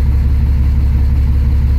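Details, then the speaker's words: 2006 Dodge Ram 2500 diesel, after something let go in the transmission: at a stop in gear with foot on the brake, a deep, heavy drone lugs low and labours; cause unconfirmed. "foot on the break and I put it into gear and no you go get shot here I mean engine lugs all the way down"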